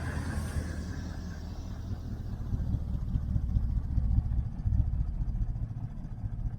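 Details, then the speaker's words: 1968 Chevrolet Nomad at idle after a 5-hour trip: low idle with an uneven, stumbling beat about two lopes a second; a misfire suspected on the left bank, felt when cruising, cause not found. "so she it sounds great right sounds great but there's a Miss in it"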